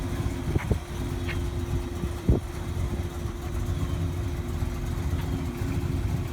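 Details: 1948 Mercury coupe V8, idling under the hood as water temperature starts to climb, oil pressure 60 psi, a little above with revs: deep, even, lumpy rumble, a few light handling knocks. Normal warm-up idle.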